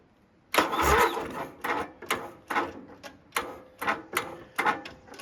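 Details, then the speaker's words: Toro GroundsMaster 52 with a replacement vintage Briggs and Stratton 16hp cast-iron single, first start after engine swap: labored, uneven cranking about once a second, brief cough of firing, never catches; owner suspects weak starter. "All right, so promising, more or less, like at least it kind of fired. I don't know if that starter's kind of pul"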